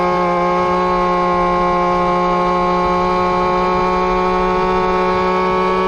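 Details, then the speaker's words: Two-stroke RC Big Foot, hot pipe, top-end needle adjusted, about 28 mph: high steady scream with slight wavering at full throttle; at lean limit, starting to break up. "we're definitely at the limit of lean and rip because it's starting to bounce back and forth and and break up a little bit"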